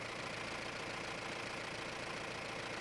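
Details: Mahindra Roxor turbo diesel after fitting Dirt Legal intake retaining bracket for overboost leak: even idle, steady clatter about three and a half beats a second, no hiss or whistle; no leak found, sounds better than the earlier weird sound, owner suspects the leak caused.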